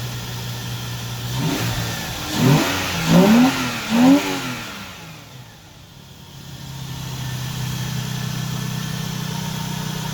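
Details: Lexus GS300, 2JZ-GE, after replacing the leaky ECU capacitors: a steady idle, three crisp blips, then back to an even idle. It runs healthy, better than it did a couple of years ago.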